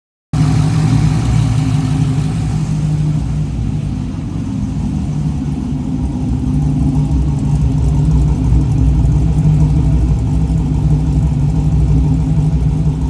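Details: Trans Am V8 first running after rebuild and refresh begun October 2022: deep, lumpy burble at idle that dips, then swells as revs climb and settle, no knocks; sounds healthy.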